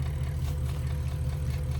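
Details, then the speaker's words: Porsche Cayenne engine, cold weather below freezing: low idle with a faint fast tick heard through an opening; engine already sleeved, said to have run 30,000 miles ticking like this; cause not pinned down. "Здесь есть отверстие, слышно, как оно тикает. Короче говоря, этот двигатель уже проехал 30 000 миль в таком состоянии, он уже гильзован."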